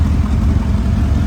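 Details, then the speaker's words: Mercedes CLS63 AMG V8 bought as a non-runner, final start after a four-month engine rebuild, fuel very low, engine management light on. Deep idle with a slightly uneven, stumbling low thump. Cylinder one misfire. "right so we finally managed to start up the clf amg and uh obviously you guys have seen that we now have a misfire on cylinder one"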